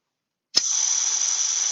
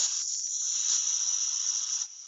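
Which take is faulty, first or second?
second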